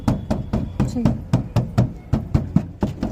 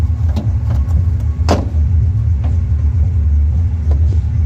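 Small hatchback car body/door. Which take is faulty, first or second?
second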